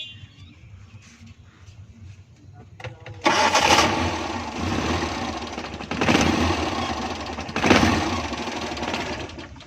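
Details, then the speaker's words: Suzuki Bolan (Ravi) running on petrol: engine catches in short bursts then dies back to cranking several times, won't hold idle; cause found as a clogged slow-running jet in the carburetor. "तो दोस्तों यह गाड़ी petrol पर बार-बार बंद हो जाती है तो आज देखेंगे किस चीज में प्रॉब्लम है"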